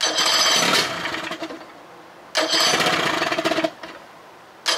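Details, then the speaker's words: 2000 Johnson 25 hp outboard fitted with used eBay ignition plate, charge coil and parts of unknown condition: short bursts of fast cranking at about four beats a second that drop off without firing; cranks but won't start, spark and timing still to be checked. "no well she almost fired up let me get the timing light make sure we got moreel everything spark"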